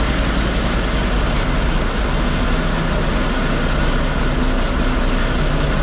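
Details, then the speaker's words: Komatsu D85E bulldozer six-cylinder diesel after rebuilt injectors and valve adjustment, formerly running on five cylinders from faulty #5 injector: heavy, lumpy clatter, now firing on all six but rough; retarded timing suspected, unconfirmed. "I'm not totally impressed with the way it runs, but that being said, at least it runs on six cylinders now. It sounds like maybe the timing is a little bit retarded."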